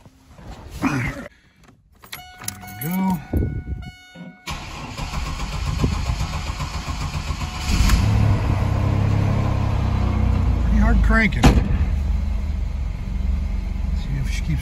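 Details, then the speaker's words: 2000 Chevrolet Camaro 3.8L V6 fuel-injected, 228,825 miles, cold start at 46°F after 32°F night: several seconds of cranking, then a steady, even idle without stumbling; running fine while chasing a hot-start issue. "temperatures starting to come up but seems to be running pretty good"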